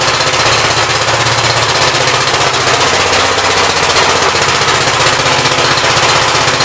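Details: 1959 Gravely L/LI single-cylinder engine with 20-over piston, oil that drained out mostly water, throttle bumped up: fast even thumping under loud exhaust, no knocks or misses; runs well with awesome oil pressure; normal running.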